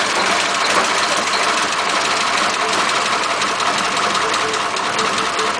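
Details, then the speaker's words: 1941 Ford pickup with flathead engine, carburetor and distributor: lumpy idle that stumbles and won't rev properly. "now listen when I try and rev it up that's just not right at all"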